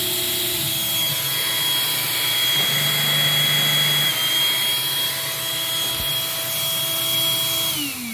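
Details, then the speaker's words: Eureka 402 Superlite 2 A vacuum during airflow test with carpet brushroll motor on: steady high suction-motor whine stepping up in pitch, seemingly spinning faster, then winding down smoothly; normal running. "just judging by the pitch of the machine it also sounds like that uh suction motor might be spinning a little bit faster when the carpet motors activated"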